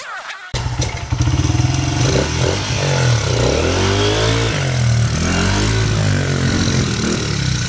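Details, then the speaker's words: Honda CRF80F dirt bike that had been sitting, just fitted with a new NGK spark plug, choke on, in neutral. It catches after a kick, revs up and down smoothly and settles into a steady idle; it runs freely and healthy. "It's getting there. Pretty smooth. The choke is on. Yeah, but that sounds pretty damn smooth."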